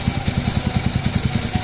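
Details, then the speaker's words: Yamaha R15 v3 at idle after the cylinder block was replaced for piston-slap noise: even, steady idle with no knocking or head noise, engine healthy. Only a slight balancer gear noise remains, not yet replaced. "Bike কিন্তু স্টার্টে স্টার্টে আছে কিন্তু কোন শব্দ নাই। মানে ইঞ্জিনের কোন শব্দ নাই।"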